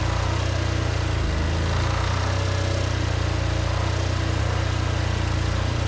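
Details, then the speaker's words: Shop air compressor on a generator after the black and white wires were swapped to give 240 volts: a fast, even pumping throb about three to four beats a second under a steady generator drone; it now pumps properly. "And then I will turn the breaker on and we'll see if that actually pumps now. Way better. That's proper."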